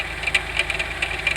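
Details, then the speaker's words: 1992 Oldsmobile 98 3.8L idling, wheel off, heard at the front by the crank pulley: sharp, uneven ticking knocks over a quiet idle; knock located at the harmonic balancer. "The sound the sound of this uh knocking or clunking basically sounds from down here, you know, by the harmonic balancer."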